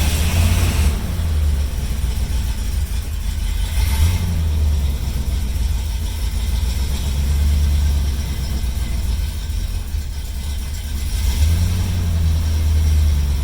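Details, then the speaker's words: 1972 Mercury Comet, 302 V8 with points ignition, old possibly worn engine, stays cool: low idle rising and sagging every few seconds; rough idle, keeps wanting to break up, worse when warm; spark plugs being replaced. "It drove pretty good there, but like it's doing right now, it kept wanting to break up, and by the time we left and got back home, it was running pretty rough."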